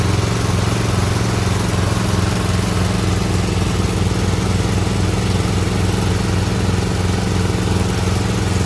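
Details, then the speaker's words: Auction mower engine after new fuel line, plugs look filthy: steady running with an uneven, choppy beat that stumbles, spitting and sputtering at higher rpm; owner suspects spark plugs need replacing. "I think it needs new spark plugs when you put it up to a higher rpm it's kind of spits and sputters"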